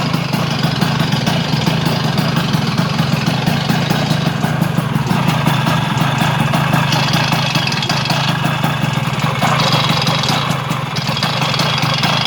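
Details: Vespa 100 smallframe two-stroke idling and blipping after fitting a Parmakit race ignition with a 1 kg flywheel weight: dense metallic rattle over the beat from the flywheel side; cause not pinned down.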